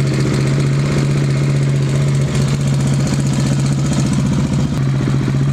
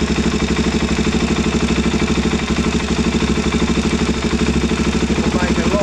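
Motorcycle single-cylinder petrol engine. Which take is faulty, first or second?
second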